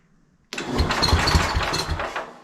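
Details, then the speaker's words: Early-1970s International Cub Cadet 129 garden tractor, engine once stuck and sitting many years, starter solenoid bypassed: brief cranking with uneven chuffs and weak firing pulses that die away; engine tries to catch but won't keep running; cause unconfirmed. "well we're just going to bypass all that for right now and see what happens contact maybe let's clean this one to me oh did you see that it made it tough it tried to go right there"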